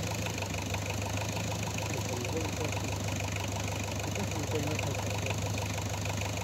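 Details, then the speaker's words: Renault 11 diesel idling after switching on: steady hard even clatter about three knocks a second over the low rumble; knock heard, source unclear. "Oui, on entend sortir là. Ah, on entend claquer."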